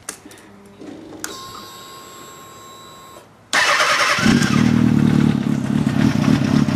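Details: 2007 Kawasaki ZX-6R (Code 62 solved) with Yoshimura RS5 pipe, K&N filter, PC5 with Auto Tune: a quiet priming hum, then it catches at once and settles into a steady, even, crisp idle with no misses; normal cold start before warm-up.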